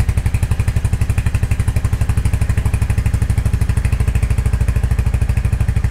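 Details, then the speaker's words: 2023 Royal Enfield Hunter 350 single-cylinder, in neutral after valve adjustment, oil not yet changed: even thump, steady exhaust pulse, loud ticking gone; normal idle. "bike sounds really good no more loud ticking noise that I had before"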